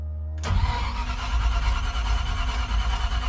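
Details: 5.7 engine started after replacing an off-shore oil filter adapter with a Transdapt adapter to fix an oil leak and oil pressure problem; quick crank, catches right away, steady even idle, no knocking or stumbling, filter dry; normal start.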